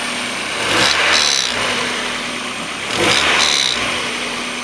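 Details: 1994 Mazda Miata M Edition, about 130,000 miles, leaks oil at the rear main seal. Revs swell and fall; a whooshing rotating noise rises each time rpm drops, seemingly from the rear intake side of the head. Owner first suspected the CAS, now doubts it.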